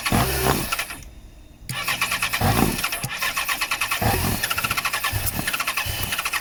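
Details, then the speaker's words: 2014 Yamaha XJ6S Diversion, under 12k miles, suspected fuel supply problem with possible water in the tank: cranks well, fires in short ragged bursts and catches briefly, then dies, won't idle on its own; fuel pump to be tested. "right, so you know the engine runs and it actually sounds good. No, we've got to make it run on its own."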